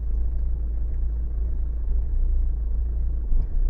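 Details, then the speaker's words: Renault Megane 1.5 dCi diesel, cold idle: runs fine then starts shaking, deep uneven rumble with irregular stumbles, seems to run on three cylinders until it warms after about 5 minutes; misfire from a faulty injector found by bottle test. "And it starts now shaking. Look the numbers. It will get worse when you go up. Yeah. Yeah, it's shaking a lot. You see, now it starts really misfire."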